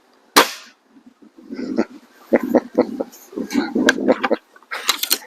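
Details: BSA Airsporter Stutzen RB2 air rifle (5.5 ft-lb limited) after a tune to remove the buzz, before-and-after shots: one sharp, dry crack with no lingering twang or buzz, then quiet handling; well-damped shot cycle, though some power was lost.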